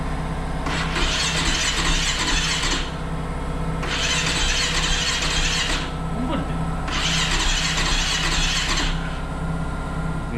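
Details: Rebuilt KTM supermoto on its first start after reassembly: repeated cranking bursts about every three seconds with a faint squeal, never firing; the owners think water got into the spark plug during washing.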